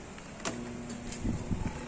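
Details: Homey (Homie Climatic) twin tub washing machine, wash side powered on: low steady hum with a few clicks, drum not turning while spin side works; seized wash motor.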